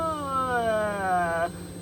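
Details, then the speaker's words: Failing two-year-old Delphi fuel pump in a Ford Econoline van, tested pre-filter at 14.8 V: a thin, quiet electric whine sagging in pitch, making only about 5–7 psi; the filter is not suspected, and the pump was replaced. "But anyways, got hooked up, 14.8 volts. You can hear the fuel pump is running."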